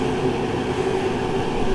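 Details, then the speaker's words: Masterforce 20-volt 60,000 BTU portable forced-air propane heater running at full heat in a garage: a steady, somewhat loud roar of fan and flame with no rattles, knocks or surging. It operates normally. "let's crank it up now we're full blown heat that thing is putting out a lot of heat it embarrasses my little electric heater that i used to have it's a little loud at full blow"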